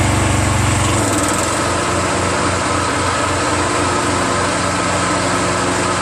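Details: Exmark 36 Metro commercial walk-behind mower, a curb find running after a new recoil starter rope and starting fluid: the small engine settles into a smooth, even beat with no stumbling or rattles, so it runs normally.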